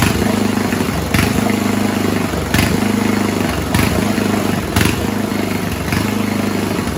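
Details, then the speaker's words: 1970s Roper 1032 snowblower, probably 10 hp Tecumseh-style engine: idle speed surges and sags about every second. Lean idle circuit; fixed-jet non-dumping bowl fitted, slight hunting remained until idle mix was richened, which stopped it. "It was still hunting a bit, but I just made the mix a tad richer from the on the idle circuit, and that got rid of the hunting."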